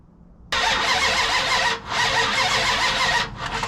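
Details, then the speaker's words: The General's V8 cranks steadily for about three seconds but never fires: no spark; jumping the pickup wires produces a spark. "Okay, there's no spark. Why is there no spark?"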